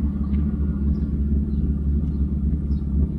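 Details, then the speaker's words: 1993 Mercedes 600SEC with straight pipes, long-sitting, just revived: deep uneven idle swelling and sagging; engine started surging and missing at idle, something wrong, cause unknown. "it started to like sort of search miss yeah totally something is wrong now"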